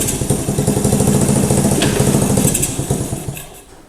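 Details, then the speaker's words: 1985 Honda ATC110 three-wheeler, revived after sitting abandoned, dropped into first gear; uneven chugging loads down and fades, held back by a seized rear end; carburetor needs cleaning and an inline fuel filter. "Most certainly needs a carburetor cleaned out. Definitely needs an inline filter for the fuel. And more importantly, the back end is seized up. I can take it apart and free it up."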